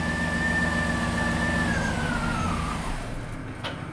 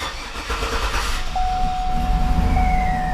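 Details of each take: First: 2007 GMC Yukon Denali 6.2L V8 idling while the fuel pump relay is pulled to depressurize the fuel rails before injector service: whining note sags and engine dies almost instantly; fuel-cut stall. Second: 2007–2014 GMC Yukon 6.2L after fuel injector O-ring/seal replacement, key cycled to prime the fuel system. It cranks briefly, starts on the first try and settles to a steady, even idle.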